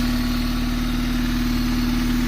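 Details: 1997 Honda Civic hatchback, D16Y7 SOHC non-VTEC, first start after new rod bearings fitted for a rod knock likely caused by very low oil: smooth, even idle with steady hum and no bottom-end knock; the knock returned a week later.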